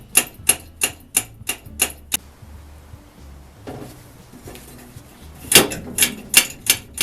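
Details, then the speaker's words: Old blow torch being restored; hand pump's packing pushed out with back pressure so it flares against the cylinder walls, now pumping with rhythmic clicks about three strokes per second in two bursts, building pressure; hand pump working normally. "Now it's starting to pump. Had to get that packing pushed out, a little back pressure on it so that it flared out against the sides of the pump."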